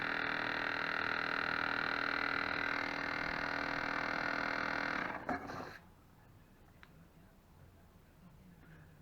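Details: Dishwasher on test cycle after pump repair, during draining: loud steady rattly hum with a fast regular beat about four per second, then cuts out; the pump is noisy.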